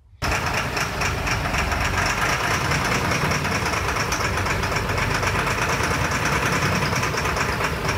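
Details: LMTV military truck diesel started by feeding 24 V directly to the fuel shut-off solenoid, bypassing its circuit: catches and runs loud and clattery with an uneven, lumpy beat, not running right yet.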